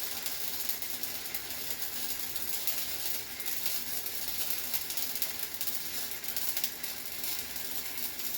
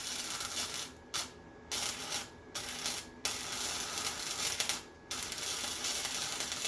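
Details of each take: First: Harbor Freight Titanium Flux 125 flux-core welder, new, first bead on scrap with wire feed turned down slightly: hissing, crackling arc with no settled rhythm, harsh and hot; heat set too high, burned through. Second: Harbor Freight Titanium Flux 125 flux-core welder, new, after turning heat down and wire feed up slightly: steady frying crackle in bursts of about a second with short pauses; stable arc, welds fine. Normal.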